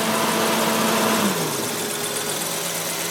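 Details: Audi 100 Type 44 2.3 NF engine with faulty lambda sensor reading lean: sensor plugged into running engine, idle hum shifts then holds raised above 1200 rpm as control unit enriches via pressure actuator; unplugging sensor returns base idle.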